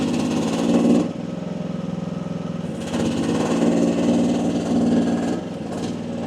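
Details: AGT WH12R 1-ton Chinese mini excavator digging with hydraulic relief at about 2300 PSI: small diesel pulls down and recovers under load, steady pump drone, no stalling; owner feels this pressure is optimal.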